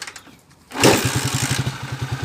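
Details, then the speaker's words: TMX155 motorcycle engine after overhaul to cure loud ticking and gearbox noise: kicks into life and settles to a quick even idle about ten beats a second, no loud tick left; engine noise solved. "Yan na yung final niya ngayon mga kaabo anong masasabi mo ka bro ayos ayos ayos bro ayos"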